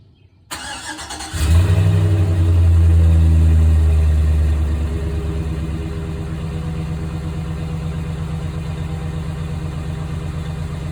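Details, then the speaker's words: 2005 GMC Sierra 5.3 Vortec LS V8 after cleaning the oil-fouled PCV tube, fixing blue start-up smoke and oil consumption: brief crank, clean catch, rev flare, then smooth even low idle; runs much better, normal idle. "and i haven't had any smoke on startup and i cannot believe how much better my truck runs even the way it sounds when you start it"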